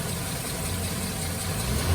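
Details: Suzuki Karimun Kotak started cold after clutch and clutch bearing replacement. Even, low idle with a smooth steady hum; the earlier chain-like noise between engine and transmission is gone, traced to the clutch bearing. Normal idle.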